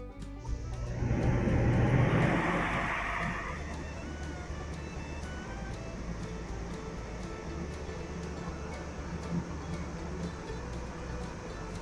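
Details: Furrion RV rooftop air conditioner, opened up after it threw its fan, on a brief test run: whooshing surge at switch-on settles into a steady low hum with a soft even tick; running smoothly.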